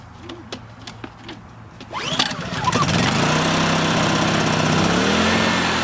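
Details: Honda EU2000i generator after carburetor cleaning, choke on, fuel on: a few pull-cord tugs, then it catches and settles into a hum that wavers slightly in speed. A carburetor return spring is suspected to have popped off. Unsettled running.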